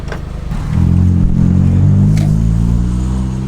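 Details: 25-year-old Honda Prelude with a sport exhaust: engine pulls up smoothly with a deep, steady exhaust drone rising in pitch, no misses or rattles; a healthy sport exhaust.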